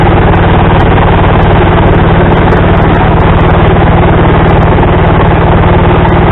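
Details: Small tractor driving an adapted snowblower attachment, belt tightened with a tensioner pulley from an old mower deck: loud, steady small-engine chug at fast even beat, no belt slip or squeal; normal running.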